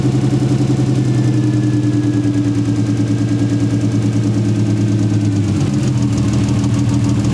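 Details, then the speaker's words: 1JZ VVTi swapped into a 240SX, before fix: lumpy, uneven idle with irregular stumble that stays when throttle is blipped; engine misfire, later traced to a poorly seated injector plug. "even worse it's like maybe his same so the car still misfires as we all expected"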